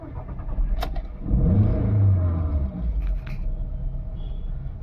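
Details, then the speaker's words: VW Vento petrol engine, customer complaint of no pickup with check engine and EPC lights, codes P0300 and P0201 (cylinder 1 injector circuit). After clearing codes and restarting, it catches, runs rough and misfires, then stalls. "Check light चली गई है लेकिन गाड़ी miss fire कर ही रही है अभी भी वापस से बंद करके स्टार्ट किया। अभी गाड़ी नहीं चालू हो रही। बंद हो गई गाड़ी।"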